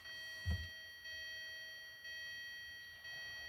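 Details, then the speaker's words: 2013 Hyundai Sonata Limited 2.4L, push-button start with foot on brake, in park, fob present: quiet cabin, faint tick about once a second and a steady electronic tone. No crank. "Okay, she does not want to start."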